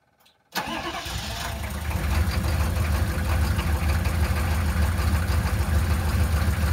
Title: Hard Start 6.5